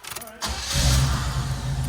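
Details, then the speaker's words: Home-garage-built Buick Grand Camino custom V8: a brief crank, then it catches at once and settles into a steady, deep idle. A clean, normal start. "Starts right up."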